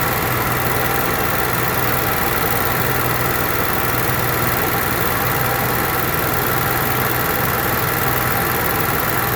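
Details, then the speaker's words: Onan Marquis Gold 5500 generator after carburetor cleaning and mixture screw set about three turns off the seat (was two): holds one steady speed with an even hum, no hunting or surging; running properly. "don't that sound good try it again all right so we got it took care of"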